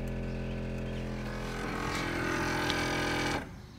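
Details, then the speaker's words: 2001 Pontiac Aztek GT, around 5000 miles of ownership driving, hot muggy day: engine runs with an uneven stumbling beat under a steady hum before shutting off; random misfire code set, service engine light back on within minutes. "it was running extremely extremely bad today and it was so bad that it actually set the service engine light back on within a matter of minutes of the car running so we've got the we've got the code for the random misfire"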